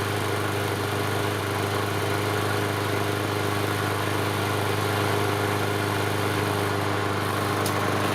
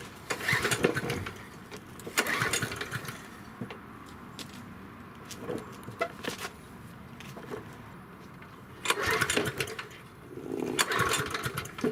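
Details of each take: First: Yard Machine 6 HP 21-inch lawn mower that sat over a year and wouldn't start, after repair: small single-cylinder engine holding a smooth even drone, no misses, knocks or surging; running properly. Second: Yard Machine 6 HP 21-inch lawn mower, left sitting in a backyard for over a year, won't start: repeated short pull-cord bursts, a second or so each, with quiet gaps between, and the engine never catches. No-start cranking.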